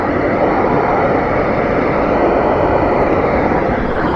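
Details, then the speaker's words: 2014 Mercedes Vito W639 taxi rear air conditioning, heard through an Accutrak ultrasonic leak detector aimed at the rear evaporator pipes: a loud steady rushing hiss that peaks there, showing refrigerant leaking at the rear evaporator area. "that is going berserk so there's something leaking at the back on the back evaporator area"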